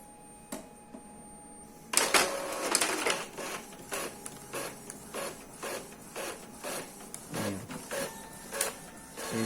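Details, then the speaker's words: Epson L3150 after releasing stuck paper as a temporary fix: head cleaning and copying with short whirring bursts about once a second from the carriage belt and feed; no grinding or jamming, printer sounds healthy. "a cópia tá fazendo uma limpeza do cabeçote esse barulho é por causa da correia tudo bonitinho vamos tirar outra cópia"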